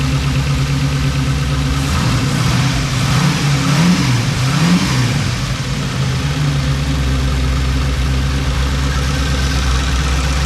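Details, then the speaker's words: Custom overhead-cam Chevy LS V8 built for a '32 Ford, first startup, only alternator and water pump fitted: loud idle with uneven stumbling beat and throttle blips; a cylinder missing, carburetor needs dialing in. "Well, it's missing. Needs a carburetor dialed in."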